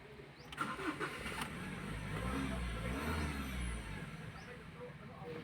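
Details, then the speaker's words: 2015 Ford Ranger 2.2 that had been cranking without starting: starter whirrs, engine catches and runs briefly, then dies on its own; a sensor fault code won't clear, crankshaft/camshaft position sensor suspected. "Pero ngayon hindi talaga siya mabura-bura at aandar siya pero later on mamamatay naman kaya ito katulad nitoand andar siya."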